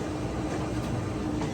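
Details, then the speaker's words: Older Whirlpool Cabrio WTW6200VW0 top-load washer, floating drum with stator drive, in spin after replacing shaft, bearings and tub seal; only a low soft hum with no roar; normal spin after repair. "can't even hear it and that's how you change the bearing shaft and seal in an old school Whirlpool Cabrio Stater Drive much better you could do laundry now without the whole neighborhood knowing that a plan's not taking off"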